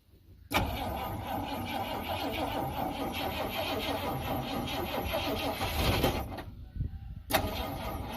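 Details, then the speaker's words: 1971 Ford F100 V8 on a small battery. Sluggish, dragging cranking for about six seconds with no catch. Slow cranking; owner suspects the tiny battery, which got hot, can't handle it. "Okay, could, then again, it could literally just be this battery. Because, I mean, look how tiny it is. Ooh, that was hot. This little battery probably can't do it."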